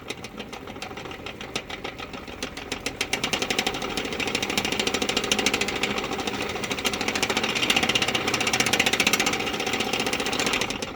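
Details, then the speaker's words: 1962 Sprunger Brothers wood lathe driven by a speed-controlled sewing machine motor: rapid sharp clicking about four per second rising with speed over a light whir; worn headstock bearings suspected, replaced with 20×47 mm bearings. "So check it out. Hear that clicking?"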